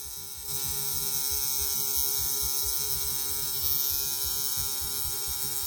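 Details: Tattoo machine running: a steady high-pitched electric buzz with fast, even chatter. Its noise is used to judge how fast the machine is running; it runs normally.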